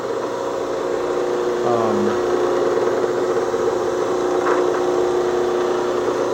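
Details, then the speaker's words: Homemade 12-inch disc sander with Baldor motor and plexiglass guard, just switched on: steady even motor hum, no knocks, rubs or wobble; runs pretty smooth, normal running. "So this is it right there. So it runs pretty smooth."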